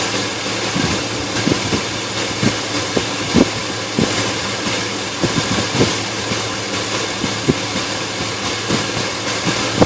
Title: Engine rough idle